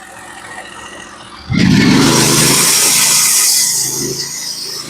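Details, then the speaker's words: Norwood HD36v2 bandsaw mill with a Stellicut band cutting 1x6 fence boards, heard through noise-cancelling: a steady hiss rises sharply as the blade bites into the log, then holds an even tone; the band cuts smooth and very predictably under load. "I don't know if you guys I don't know if you guys can hear it through the noise cancelling but this band is really cutting great right now still it's cutting nice and smooth very very predictable"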